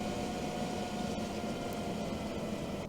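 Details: BMW M2 electric coolant pump running during coolant flush bleeding procedure (ignition on, low beams on, heater at maximum, fan lowest), third bleed pass: steady faint motor hum with soft coolant rushing, no rattles or gurgles; normal operation.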